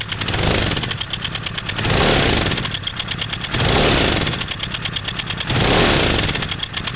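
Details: 2003 Honda CBR600RR engine swelling and dropping in slow cycles with a fast, light ticking on top throughout; source of the clicking not determined.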